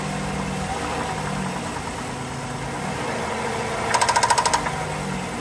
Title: 3.6 pentastar tapping and ticking noise, see my channel for the solution.